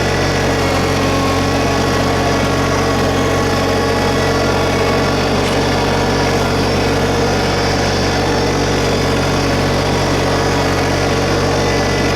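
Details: 2022 LS MT125 compact diesel tractor with loader, backhoe and mid-mount mower deck, about half an hour on it, started and run at slightly raised idle: steady, even diesel drone, no knocks, misses or rattles; sounds healthy, normal running.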